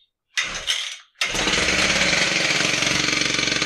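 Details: Husqvarna K760 Cut-n-Break concrete saw that started hard, test run after head bearing and clutch drum replacement and drive belt tightening. A couple of cord pulls, then the two-stroke catches and runs at a high, even buzz with no skips; healthy.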